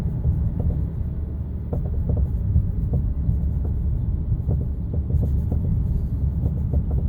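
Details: Car on BC Racing coilovers rolling over bumps with irregular hollow clunks through road rumble; cause was worn top mount bearings, replaced to eliminate the noise.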